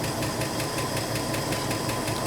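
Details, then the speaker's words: 1984 Ford F150 4x4 after cylinder head change, valves possibly needing readjustment once freed up: steady smooth idle with a light, quick, evenly spaced ticking that follows engine speed; valve train tick, probably lash. "Idling pretty smooth though, if you ignore that ticking noise."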